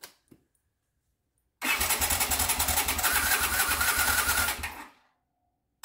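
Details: 1979 Honda CX500 Custom twin unrun 2 years, tank resting on top with fuel line plugged in: starter turns it at about three and a half beats a second for three seconds, never catches; cranks, no start.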